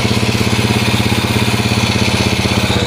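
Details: Yamaha Moto-4 Champ ATV first started on a jump pack, fitted with an SDG 110cc pit bike intake manifold and a Honda clone carb: steady unhurried single-cylinder putter around 300 beats a minute with no knocks or misses; runs pretty good.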